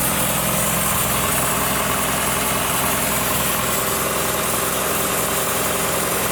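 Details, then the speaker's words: 1962 Ford Falcon with original Holley carburetor just installed; loud idle with uneven loping beat about three to four per second over steady rush; vacuum leak, found on top of the fuel pump. "I got a vacuum. I have to pull the air cleaner back off. Sounds like it's got a vacuum leak."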